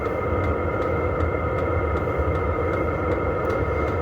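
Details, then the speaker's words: Vevor 5 kW diesel heater running, heard at its exhaust outlet, which would sit outside a truck: a steady low rumble with a faint regular pulse, even and unchanging; normal exhaust noise. "Vous entendez l'échappement? Ça c'est le bruit qu'il y aura à l'extérieur de votre camion."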